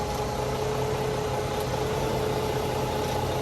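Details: Volvo VNL truck diesel idling right after batteries were replaced and it was fired up: steady, even idle with a constant low drone and faint fixed hum, no misses or knocks; normal healthy idle.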